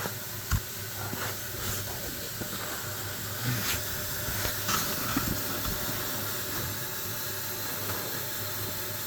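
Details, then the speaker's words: 2002 Ford F-150 V8 running: steady hiss with quick, uneven puffing ticks from exhaust manifold leaks, found at five cylinders. "Well, that's 1, 2, 3, 4. That's 5 cylinders that have exhaust leaks."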